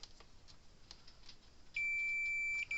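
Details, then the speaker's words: Parmak 12 V solar fence energizer repair, multimeter continuity test on the power switch: quiet room, steady high beep about a second then short chirp; continuity present, switch good. "switch is good."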